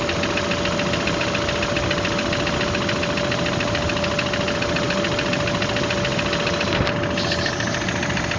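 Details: Engine knock: a steady engine drone with a fast, faint ticking knock about three to four beats per second; cause unclear.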